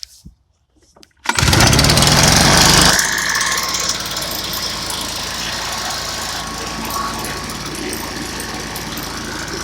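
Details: Stihl backpack blower that wouldn't start, two weeks after last use, and finally started on about the 15th pull: one pull now, revs high briefly, then settles into a steady, even two-stroke drone. It is running normally.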